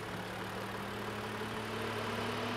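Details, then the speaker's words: Range Rover engine idling with AC compressor switching on at start, measured about 70–75 dB: smooth even idle, steady low drone with faint constant compressor hum; normal, quieter with compressor off. "आवाज़ develop हो रही है compressor की आवाज़ है 7275 72 70 something जो है आवाज़ जो है वो रेंज रोवर की कंप्रेसर के साथ में चालू होने के साथ में जो है यहां पे ए रही है"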